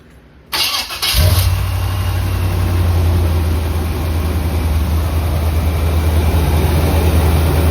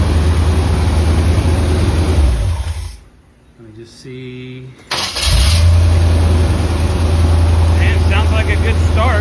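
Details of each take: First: 1976 Corvette V8 with electric fuel pump, old distributor with some new parts and new plugs, sometimes needs a little gas to start: fast, slightly lumpy idle with deep steady rumble; owner suspects idle set a bit high. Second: 1976 Corvette V8 after replacing an overheating distributor that caused stalling: shuts off, cranks briefly, catches at once and settles into a steady even idle; starts fine, no lagging.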